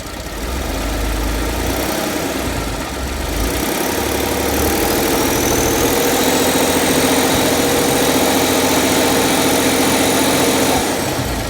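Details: 2014 Ford F-150 3.5L EcoBoost, warmed up with good oil pressure, idling: a steady light tapping knock of about four per second, heard near where the crankcase meets the transmission. It is absent when cold; cause not yet found.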